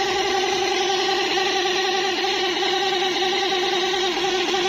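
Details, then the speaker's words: Motorcycle speedometer with its wheel spun by hand: steady, loud, even-pitched whine. The noise starts around 20–30 speed and the needle sticks. Cause is a dry mechanism needing grease or gear oil; dry speedometer mechanism. "देख सकते हैं कि इसकी जो स्पीडोमीटर की सुई थी ऊपर जाके फंस भी गई है और आवाज़ भी कर रही थी, बहुत ज़बरदस्त किस्म की आवाज़ कर रही थी।"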